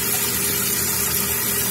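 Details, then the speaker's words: Running toilet: fill valve keeps pouring water into the tank with no shut-off, steady hiss of water trickling past the flush valve flapper into the bowl; flapper not sealing. "Flap open, water going in. Bowl filling up. Got to make sure the flap is sealed and there's no water escaping under the flap."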